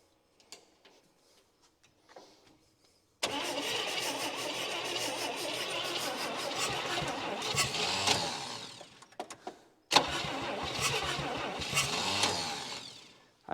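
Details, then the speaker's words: 1959 Chevy Biscayne 6-cylinder, freed after being seized through about 20 years of storage, alternator belt removed: two long stretches of uneven, dragging cranking with no firing. Owner says the starter fights every turn and plans to order a new starter. "don't understand all right guys I'm going to call it for now the starter is just fighting me every every turn here so I'm gonna order a brand new starter"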